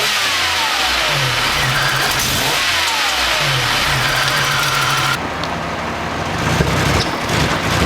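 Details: Buick Century six-cylinder after replacing ignition control module, crank sensor, fuel filter and cleaning the IAC; spark at all six plugs; won't restart hot: idles fairly even, then stumbles and pops on a throttle snap. Misfire and intake backfire, cause unknown.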